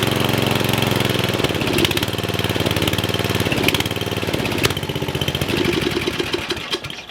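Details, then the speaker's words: Murray riding mower single-cylinder, previously locked, after head reinstalled and on a jumper box: starts right up and settles into a quick even putter around 220 beats a minute, smoking a little; exhaust later removed over smoke and stalling. "yes that is awesome that starts right up had no trouble starting its smoking a little bit only a little bit"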